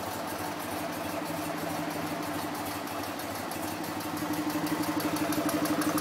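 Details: BMW R50 boxer twin at first start after full restoration, with a fan cooling it after an earlier backfire: an even, steady idle putter of about four beats a second, no misses or knocks. It runs healthy.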